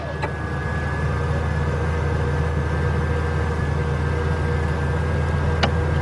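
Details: 1997 Mercedes-Benz E320, 119,000 miles, cranks but won't start: steady, even cranking drone never catching; noid light test showed no injector pulse while cranking.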